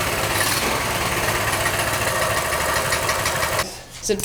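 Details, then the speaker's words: Small single with a newly installed 22mm Mikuni carburetor replacing the stock carb, idle raised after being too low, buzzing at a steady, even raised idle before shutting off; runs smooth, normal idle. "Just a little bit. Right there. That's good. That sounds nice."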